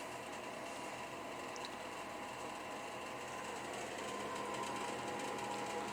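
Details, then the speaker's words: Propane heater with blower set to manual, blowing heat into the room: steady, even whir with faint hum and no knocks or rattles; normal blower fan running. "press the manual and now your fan is on and your fan is blowing heat out through here and so that will help a lot in heating up your room uh very quickly"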